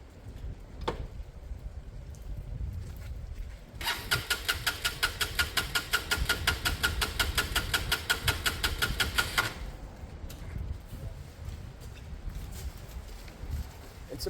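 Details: Lexmoto Michigan motorcycle with a good battery: starter whirs in a fast, even rhythm for about six seconds but the engine never fires; spark seen last week, owner suspects fuel isn't pumping.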